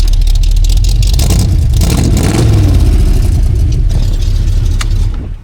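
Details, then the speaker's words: Jeep CJ with a mild cam, cold start with the choke already fully open: deep, loping V8 idle with a slightly uneven mild-cam beat, running smoothly. "I love how this thing sounds. A little mild cam in"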